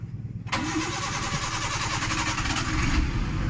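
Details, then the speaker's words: Maruti Suzuki Eeco final check after starter repair (broken body connection and shorted starter fixed; carbon brushes, body and auto switch replaced): ignition on, a brisk even crank for a couple of seconds, then the engine catches and settles to idle; normal start. "গাড়ি ভাইজান কথা বলতে হবে, বোঝা গেল? System দেখেছেন? Running গাড়ি কিন্তু ভাইজান।"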